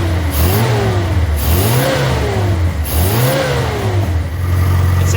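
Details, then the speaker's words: Austin-Healey Sprite, new 1275cc A-Series engine after carb balancing and richening the lean mixture: crisp blips rise and fall evenly three times with a clean return to idle. Normal, healthy revving. "sounds pretty good. Let's get it out in the parking lot and drive it around a little bit."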